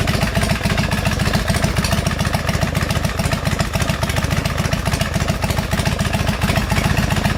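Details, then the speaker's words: Custom Harley bobber, 2007 Road King 96-inch engine, S&S Super II carb, Ultima 6-speed, after a battery replacement: quick even cranking straight into a steady, lumpy twin idle. The occasional starter clunk is gone; normal start. "not a clunk at all and I've tried at numerous times I mean that thing fires right up as it should"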